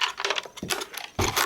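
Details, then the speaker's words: Shaking the removed fuel pump module from a hard-starting 2006 Trailblazer gives irregular light tinny clicks and taps; something loose rattles inside. "but i've already noticed there's something loose in here hear that there's something"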